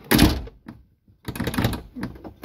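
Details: VW Santana Quantum door shut: dull thunk with a brief light glassy clatter; after loose spots were tightened with washers, a small glass rattle remains on closing, source still being sought.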